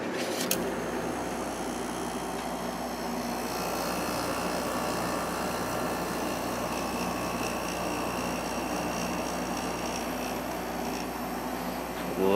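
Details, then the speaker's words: Emerson Quiet Kool 6300 BTU air conditioner with replacement GE fan motor, compressor running: steady even hum with smooth air rush, no knocks, rattles or cycling; a few minutes later compressor sounds great, blowing cold air, fan quiet. "compressor sounds great it's blowing nice cold air and the fan is quiet so I'm finally happy with the way this uh unit is running"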